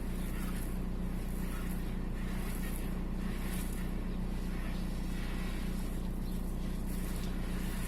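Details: VW 1.9 TDI AXR diesel idling with a low, lumpy, uneven shaky beat; fault 16688 / P0304 cylinder 4 misfire detected, intermittent: diesel engine misfire at idle.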